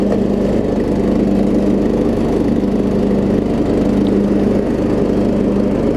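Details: Troy Bilt Pony riding mower after its no-start was fixed (loose starter solenoid connection, new battery), with new blades: steady, constant-pitch drone with blades engaged, no stumbles or knocks; normal running under load.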